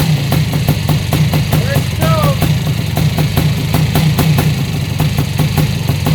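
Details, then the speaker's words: Yamaha YZ490 air-cooled two-stroke, first start after installing missing kickstart idle gear so engine runs the correct direction: crisp, even, steady pop at idle, running right. "okay so sounds good all right"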